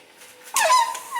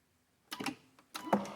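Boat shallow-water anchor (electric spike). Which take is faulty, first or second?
first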